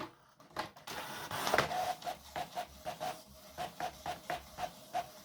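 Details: HP Photosmart 7260 inkjet printer (2003), test print after cleaning the ink residue area: even whirring carriage passes about three a second, smooth and steady with no grinding or skipping; printing normally.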